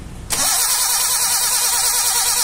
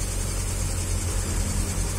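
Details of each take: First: Suzuki Carry 1.0 that died suddenly on the road: three bursts of steady starter cranking, each a few seconds, and the engine never catches; spark is present but weak, with a torn plug lead found. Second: Suzuki Carry 1.0 that died suddenly while driving, after fixing broken aged spark plug wires: steady, even low idle rumble with no misses or stumbles, running smoothly on all cylinders.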